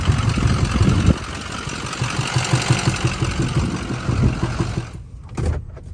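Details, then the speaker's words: Used diesel truck considered for a budget mud truck, with a drum-like knock owners fear is the cam: rough idle with irregular heavy pulses and sharp pops, about three per second, back through the intake; truck not bought. "So unfortunately, it was popping through the intake pretty bad, and I didn't want to risk buying something that we instantly just was broken."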